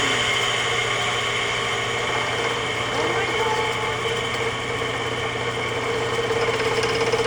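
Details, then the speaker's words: Older Mastercraft woodworking lathe after a new capacitor and a switch bypass. Steady motor hum with an uneven rattle on top; the owner suspects something loose inside. Rattle while running, cause unconfirmed. "God that doesn't sound good [Applause] well at least it turned on but it sounds like something's loose in there so I have to figure that out"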